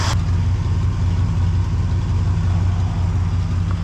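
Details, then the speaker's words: 1974 Chevrolet C10 pickup, reportedly Corvette engine, after a drive: steady low idle with an uneven, loping pulse; owner suspects a vacuum leak from a stripped stud, not confirmed. "we pretty much made it to the hardware store but I'm also getting like a weird lumpy idle so I guess I'll be adjusting that"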